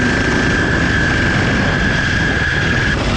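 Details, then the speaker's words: Vintage 4 hp Briggs & Stratton ex-generator single on a 1970s mini chopper, ridden at wide open throttle: rough, shaking running with a steady piercing high whistle that started again; cause not identified. "obnoxious all right wide open throttle here it's just a four horse it's just four horses this thing will shake your teeth out god that sounds awful"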